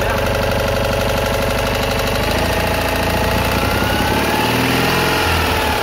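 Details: Citroën Ami 8 twin engine, already hot, running without a fan: an uneven, stumbling idle with skipped, irregular pulses; heavy breaker sparking and weak plug spark, and the owner blames a faulty ignition condenser.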